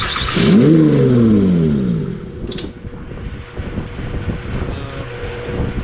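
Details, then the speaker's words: 2004 Mazda MPV after cylinder 4 misfire repair: starts right off, brief flare then even steady idle, no stumble; normal idle. "all right what happens all right it starts right off"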